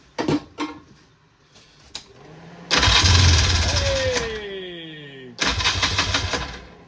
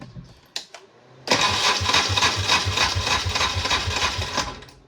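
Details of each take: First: 1994 Polaris two-stroke 4x4 quad, long sitting in the bush, cranks, fires and catches after battery charge, starting fluid and plug reinstalled; buzzy rev rising and falling with throttle, quite smoky; starts and runs normally. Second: 1994 Polaris two-stroke 4x4 quad, long-sitting, in neutral after quick-start spray; starter churns about three and a half pulses a second for three seconds without firing, owner suspects a weak battery.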